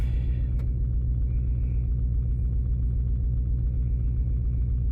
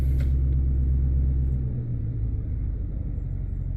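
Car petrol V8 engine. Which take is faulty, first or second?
first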